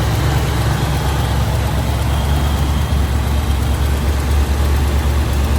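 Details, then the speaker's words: Unrestored 1966 Chevrolet Impala SS with matching-numbers 396 (325 hp) V8, Quadrajet carburetor and Turbo 400, turnkey: deep, steady low rumble with an even beat and no knocks or ticks, a normal smooth idle. "And it's turnkey. It fires right up."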